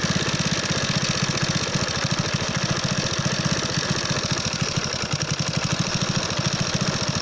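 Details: Alfa moped small single-cylinder engine idling with a hard rapid knock every firing stroke and unsteady speed after being ridden with minimal oil; owner suspects piston hitting a valve, others suggest a maladjusted or burnt valve, possibly a broken clutch basket or magnet striking; timing chain intact.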